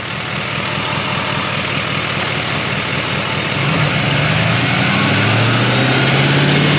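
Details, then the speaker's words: 2020 Chevrolet Silverado 3500 L5P 6.6 L Duramax turbo diesel with new Banks turbo pipes, revved to about 2,000 rpm to check the lower pipe for boost leaks: smooth climb and clean rising turbo note, no hiss; no leak under boost. "all right I saw that stuff Lex when it came under boost yeah this is good here"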